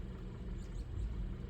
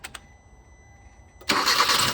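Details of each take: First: 2012 Hyundai Accent 1.6L with codes P2187/P2191 (lean at idle and under load): low idle rumble that wavers and stumbles, engine shaking. Owner suspects carboned valves and is checking for vacuum leaks; fixed with SeaFoam and throttle body cleaning. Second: 2012 Hyundai Accent 1.6L, codes P2187 and P2191, after SeaFoam treatment and electronic throttle body cleaning: catches after a short crank and settles into a steady, even idle with only faint leftover shake; the earlier rough, chugging idle is much improved.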